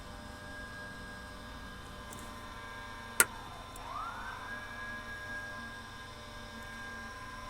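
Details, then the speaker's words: Electric fuel pump feeding the 401 engine of an abandoned airplane, tested during a fuel pressure check: a sharp click, then a whine that settles into a steady tone, giving 15 PSI (spec unconfirmed, possibly 6 PSI); normal. "all right we got pressure all right right so we know that the electric pump gave it 15 uh PSI pressure"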